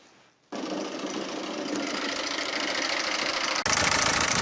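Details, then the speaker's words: Peugeot 407 1.6 HDi diesel at idle, clip sent in by a viewer: a bright, rapid ticking clatter constant over the idle. An abnormal engine noise whose source can't be pinned down by ear. "عندنا هذا أخونا بعث لي فيديو متاع 407 فيها حس باش نتعاونوا عليها ونشوفوها الحس هذايا منين في المحرك،"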